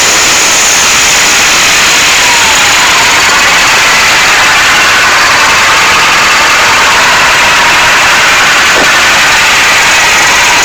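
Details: First start of an SMD-18 diesel engine: loud, steady roar with an even rhythm and no knocks or misses; runs normally.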